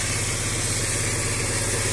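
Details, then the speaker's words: Engine with a connecting rod knock still being driven while awaiting parts: steady, fairly even idle with no knock audible; knocking only appears above about 2000 rpm. "Ну как бы вот на холостом ходу и не слышно что стучит Вот только где-то там после 2000 оборотов небой к есть"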